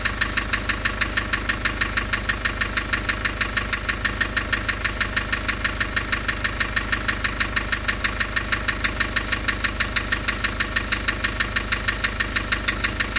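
An uneven, lumpy diesel idle with a hard beat about three times a second, steady and repeating. Points to a cylinder down on compression.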